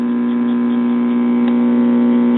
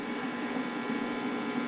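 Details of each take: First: Mid-1960s Soma tube 4-speed record player amplifier, before repair: loud steady low mains hum with buzzy edge drowning output; filter capacitor about gone, very little cartridge output. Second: Mid-1960s Soma tube 4-speed record player, single-tube amplifier, cartridge giving almost no output: touching the hot amp-input lead gives a strong, steady hum through the speaker — amp has plenty of gain, normal.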